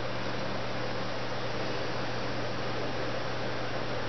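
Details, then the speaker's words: Vortex Tornado blaster with Lazer Tag Master Blaster air tank and linked trigger, pumped up: a steady, even hiss as air leaks out the back past the sensitive firing pin shifted by a light trigger touch. "You guys can hear the hissing sound. So that's just how much I touched it."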